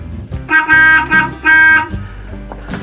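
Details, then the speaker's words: Horn from 1952, just mounted, gives two firm blasts with a clean, steady, full note that starts and stops crisply; the horn works properly. "right that's the best that horns ever sounded I believe what do you think I like it"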